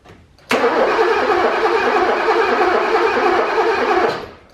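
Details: 1985 BMW E24 635CSi revived after years sitting: starter cranks steadily about four beats a second for three seconds, never fires; crank no start, no spark suspected, not confirmed.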